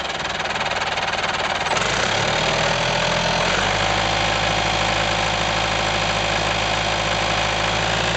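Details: IHC 554 tractor diesel about 30 hours after engine overhaul: steady run with an uneven knock about four times a second from the crankshaft area; traced to the balancer gear missing several teeth, not the pump.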